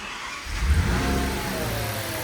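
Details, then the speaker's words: Audi S8 V10 replacement engine on first start, both air mass meters unplugged: low, wavering note that surges and never settles, like sucking false air; suspected vacuum leak, smoke test planned. "so right now the airas meter is not giving the is any values but listen to this here it like it's it's like sucking false air somewhere"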